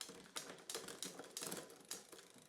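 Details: Bike rear derailleur after repair and hanger realignment, limit/tension adjusted quarter turns, large jump between sprockets (46-tooth top): a few crisp, quick ratcheting clicks shifting up and down, each clean and settled; shifting properly.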